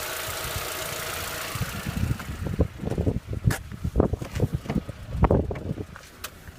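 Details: VW Passat B5 at hot idle: irregular tapping clatter over a low idle, a top-end tick suspected to be hydraulic lifters, not confirmed.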